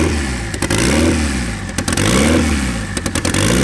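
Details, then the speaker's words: Turbo KA24DE swapped into RWD Honda Civic, map set, smart coils fully sequential: loud raspy drone with throttle blips, rough-edged from open hood dump exhaust but pulling evenly; running fine. "alright guys it runs it sounds like absolute garbage cuz we have a hood dump"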